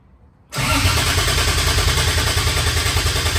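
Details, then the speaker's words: First start of 2JZ-GE VVTi in MX83 Cressida on Haltech ECU with cheap T51 turbo: heavy, raspy idle with thin high whistle because the turbo's speed-sensor bung is left open; turbo whistle from open speed sensor port. "that's raspy That's Heavy has a whistle on the T as well cuz I got the um the speed sensor bung out it's like the cheap cheat t-51 arm move the speed sense and they whistle their heads off so whistly has it's screaming"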